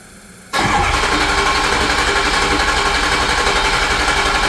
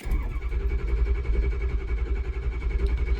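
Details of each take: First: 2006 Ford F-350 6.0 Powerstroke diesel after high-pressure oil O-ring repair, second start with vent tube now routed: brief pause, then instant catch into a steady, even idle; clean, healthy start. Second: 2006 Ford F-350 6.0 Powerstroke diesel, cold start at about 46°F after a hot no-start: slow steady cranking that never fires; low injection control pressure, owner suspects a blown O-ring, later confirmed.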